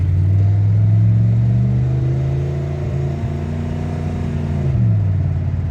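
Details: 1992 Dodge Dakota V8 on a local-road test drive after replacing a failing driveshaft U-joint with a new Spicer part: steady low engine rumble, smooth pull and easy shift, no clunk or rhythmic clicking; healthy driveline.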